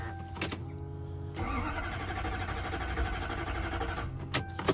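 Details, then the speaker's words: Toyota Soarer/Lexus SC400 1UZ-FE V8 after water pump and timing belt work: starter churns at about three beats a second for several seconds but never fires; ECU swap and fuel pump bypass didn't fix it. "When you try to start the car, all that you get is you get it turning over."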